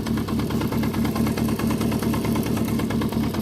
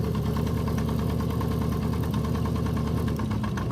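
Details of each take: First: 1973 Honda CB350F at warm idle around 1200 rpm, just back running after an 8-year layup and rebuilt carbs: quick, regular metallic clatter at four to five beats a second; owner suspects the primary chain, not the timing chain. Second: 1973 Honda CB350F four-cylinder, cold start on brief choke after carbs rebuilt following 8-year storage: steady even fast high idle with no knock or stumble; running smoothly.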